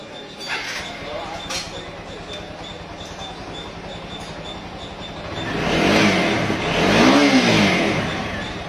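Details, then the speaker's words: TVS Apache 200 4-valve after a new cam chain, chain tensioner and intake rocker were fitted, timing set and valves adjusted: a clean idle and two smooth rev-ups with no chain rattle or ticking; the engine sounds healthy. "instalamos cadenilla nueva acomodamos tiempo ajustamos damos Start quedó perfecta cómo lo viste"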